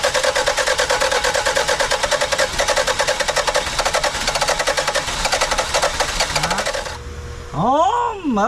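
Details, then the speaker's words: 1991 Toyota Celica, won't run since a timing belt job: fast even cranking, about four beats a second, no catch; timing slightly off, plug wires to be rotated, almost started. "started shut it off we're going to rotate these plug wires again see if we can't get it to start cuz it almost started"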